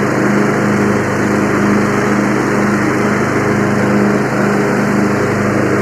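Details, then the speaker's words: Free Yard Machines 20hp tractor, 42-inch deck, started via direct battery to starter: steady buzzing drone with blades spinning evenly and cutting grass, no surging or clatter; normal running under load. "I'm going to have to get back in touch with my buddy and tell him hey I got it started running drove it cuts grass"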